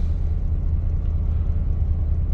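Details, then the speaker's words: 2003 Chevrolet Silverado 2500 6.0 with P0300 and check engine light: deep, lumpy idle with uneven pulsing and stumbles, misfiring and shaking; new plugs, wires and coils didn't help. "so I got a 03 Silverado 2500 with a 60 in it check engine lights going on rough idling definitely miss"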